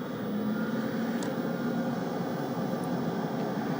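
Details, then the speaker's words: 1982 Zenith Data Systems Z-120 computer at power-on, video not working: loud, steady whir with a faint hum and no pitch change from very noisy cooling fans, indicating the power supply works. "as you can hear the fans are very noisy but that is one indication that the power supply is working and things should be good"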